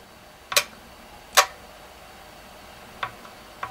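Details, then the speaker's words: Relay in a programmable timer socket, under load. Four sharp clicks at uneven gaps as it pulls in and drops out, failing to hold contact; owner suspects the coil is fried. Relay clicking and dropping out. "As you can hear, it's not holding it anymore. So basically, I think the coil itself is fried and it cannot hold the contact anymore."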